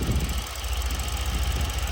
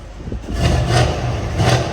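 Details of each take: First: Mercedes C63 AMG W205 at idle before purge valve replacement: steady low idle with a quick, even tick that follows idle speed and can be felt by touching the part; the owner suspects the purge valve causes it, a known C63 issue. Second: Mercedes C63 AMG W205 just after purge valve replacement, started and given quick revs: catches, two clean blips, then back to a smooth, even idle; it sounds good so far, though a tick is still pointed out afterwards.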